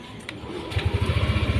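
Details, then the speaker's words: First-generation Yamaha Aerox 155 after repair, the clatter's cause found in the top end and fixed, final check idling around its standard 1500 rpm: quiet, even low putter settles in with a steady pulse; smooth normal idle. "oke halus lagi mas bro adem lagi ya Ya karena memang penyakitnya sudah ketemu RPM di berkisar 1500 ini standarnya seperti itu"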